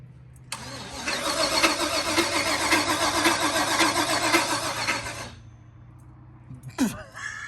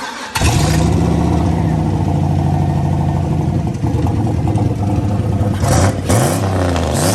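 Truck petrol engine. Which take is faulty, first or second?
first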